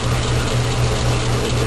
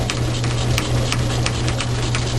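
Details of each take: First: Logan lathe in back gear turning medium carbon steel railroad spike, interrupted cut: rough, ratchety whir with uneven rattle as the change gear idler seizes, its keyway gouging the brass bushing; fixed by modifying the half key; binding idler gear. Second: Logan lathe turning a medium-carbon steel railroad spike, after a seized change-gear idler was freed and its half key modified: a steady low hum with only faint light ticks while cutting, no whine or clatter. The gears now run truer and quieter.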